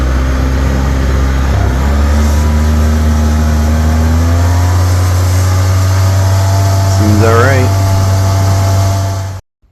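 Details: 2007 Polaris Ranger 700XP with a used replacement engine, a blue 1,000 rpm clutch spring and a new motor mount: a steady, even low idle with one quick rev blip that settles back cleanly. The engine sounds healthy.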